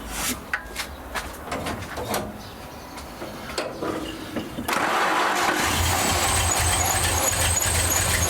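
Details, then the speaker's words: Rat rod engine just after carburettor strip-down, clean and refit: cranks and catches, then holds a fast, steady tickover well above normal idle that won't come down; jets, gasket set or power valve suspected. "I cannot get the tickover down for some weird reason I could just be because the Jets it could be because the gaset set needs replacing"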